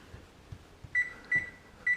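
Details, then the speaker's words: Electric range oven control board after repairing a burnt, corroded relay connection: a few dull clicks on cancel, then three short high beeps as bake starts. The relays are switching normally. "oh I did hear a click back there okay let me hear I'll cancel maybe you can hear the click to cancel in 3 2"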